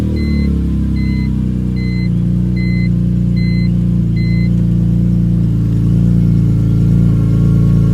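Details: BMW E46 M3 running with the clutch pedal up (engaged): a thin, steady whine rising with revs over the engine hum, pointing to the driveline.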